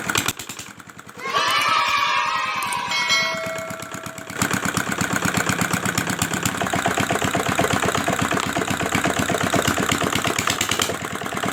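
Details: R175 single-cylinder diesel after broken crankshaft bearing repair: after some clanking it settles into a steady, even thumping at constant speed, no knock or rattle; running normally.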